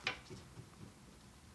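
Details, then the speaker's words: Front wheel raised and rocked by hand, engine off: soft light thumps about three times a second from play in the front suspension; a loose joint, either ball joint or inner or outer tie rod. "a really light thump. So that means there's a joint loose in the front suspension."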